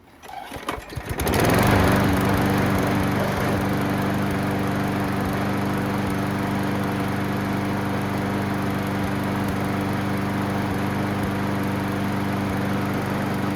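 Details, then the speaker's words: Craftsman mower after fixing missing blade adapter retainer piece, with new gas, oil and air filter: settles into a steady even drone with no rattle or blade slap; noise gone. "You're supposed to have that piece right there in the middle in order to sandwich the blade against the blade adapter. So when you do that, it takes care of all the noise."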